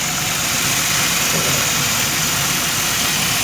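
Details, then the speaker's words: 1997 Pontiac Grand Prix GTP after new lower intake and valve cover gaskets, O-rings and thermostat, no head gasket failure: steady, even idle under airy hiss with no skips or misses; running great. "bam she's running great now it hurts like a kitten hell yeah"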